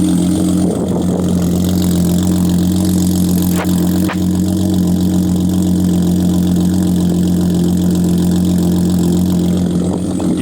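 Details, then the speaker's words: Flooded 2013 Audi A6 C7 3.0T, muffler delete and cats: first start after revival takes a second to catch, suspected low-pressure fuel pump; then steady deep idle with loud open exhaust rumble and even pulses, sounds good. "That That's why it takes a second to start up, which we'll figure out that issue. But, bro, she sounds good."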